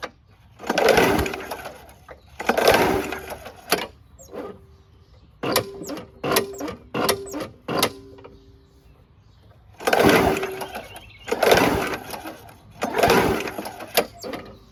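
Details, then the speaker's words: WeedEater 21" push mower, Briggs & Stratton 500 Series 158cc, carb cleaner sprayed as fuel: several slow heavy rope pulls, no firing, very hard to pull over; owner suspects the flywheel brake (bale-bar ignition kill) not releasing. "It is really hard to pull over. Let's see if that flywheel brake is releasing."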